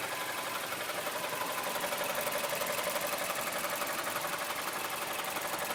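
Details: 2008 Mazda CX-7 idling with a regular light knock of about four taps per second inside the engine; source unknown.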